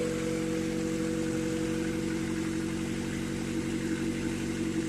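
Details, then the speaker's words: Honda Civic B20B four-cylinder after valve adjustment and new valve cover gasket: steady, even idle hum with faint whine, no ticking or stumble, sounding a lot better. "valves are readjusted now I'm gonna start it and see how it runs alright see how it sounds when it runs [Music] I don't a lot better"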